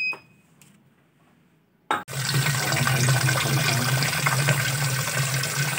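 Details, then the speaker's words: Polytron single-tub washing machine after cleaning the clogged water inlet valve: a click, then strong steady rushing water with a smooth low hum and no stutter; normal water fill. "udah sekarang aku seneng tapi kok suaranya halus Alhamdulillah semua sudah selesai"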